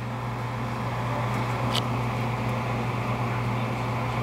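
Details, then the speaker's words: Gas furnace during sequence-of-operation test: draft inducer motor starts with a steady, even low hum, no rattle or wobble, pressure switch clicks and 24 volts is present; inducer running normally. "All right, there's the inducer. Bam. We got the 24 volts."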